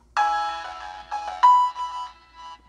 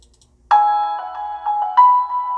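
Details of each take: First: Budget GRS 1TD2-8 tweeter in a Pioneer CS410 rebuild, fed through a first-order 2300 Hz crossover with a GRS 10" woofer: ringtone-like notes turn harsh, fizzy and gritty on the high end from tweeter distortion. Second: Budget Goldwood GT-525 tweeter under test for a Pioneer CS410 speaker project (10" GRS woofer, 2300 Hz first-order crossover) playing Adele's Turning Tables piano intro: clean, bell-like notes with no buzz or distortion, normal tweeter playback.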